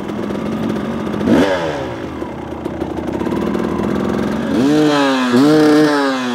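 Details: 2018 KTM 300 XCW two-stroke fitted with an XTNG carburetor (replacing a 38 with power jet): crisp blips climbing sharply in pitch and dropping cleanly back to a steady idle; healthy, responsive carburetion.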